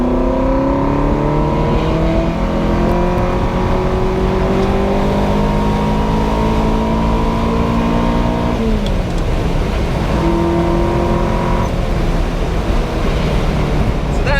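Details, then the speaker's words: Ferrari with a rebuilt engine, after chasing a misfire, now fitted with new correct iridium plugs and the airbox refitted. The engine revs cleanly to 7,000 rpm and pulls well at the top end. A rattle remains, possibly a heat shield. "pretty much the first time that I have ever revved it to 7,000 revs. It's as fast as it's ever been, so it is now going well at the top end, which is just amazing."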